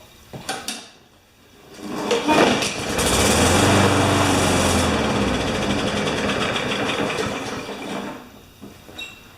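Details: Newer Briggs & Stratton mower with plastic carburetor, practically unused: a few pull-start rattles, catches, runs rough about six seconds and dies; starts then stalls, suspected dirty carburetor.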